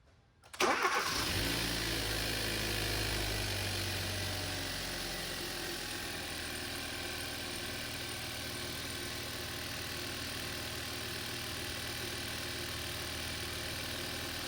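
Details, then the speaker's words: 2012 Hyundai Veloster 1.6 turbo (G4FJ, manual), first start after teardown and rebuild for a knocking noise, with new injectors: it cranks, catches quickly and settles into a smooth, even idle. No knocking; a normal start and idle. "so far so so good so far so good guys that's a good noise that's a good sound that's the expression of a happy face start it starts and I think there's no knocking noise"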